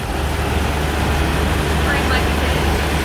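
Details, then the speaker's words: Jeep TJ just after new starter install: steady, even low rumble at idle with no knocks or misses; fired right up, purring like a kitten. "She is purring like a kitten. That was such a powerful, powerful start."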